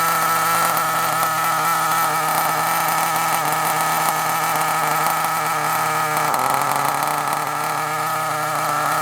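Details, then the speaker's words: Kyosho Mini Inferno (believed 09) nitro RC car, run on the bench/table: tiny engine buzzes at a high, steady pitch and sags briefly near the end; owner suspects it may be partly blocked and needs driving to clear out; runs normally. "oh right so we're not going to better get it to run perfectly on the table like this really we need to get it out we need to drive on it"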